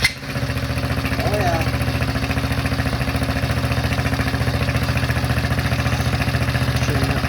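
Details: Cheap Chinese kids' ATV after fixing carburetor flooding from an overtightened screw: small single-cylinder catches quickly and settles into a steady, even putter at idle with no misses; running fine.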